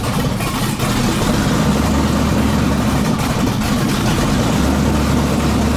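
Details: Chevy S10 with junkyard-swapped LQ9 6.0 LS V8: deep, lumpy idle that wavers and stumbles unevenly; runs but won't settle, needs tuning, cause not confirmed.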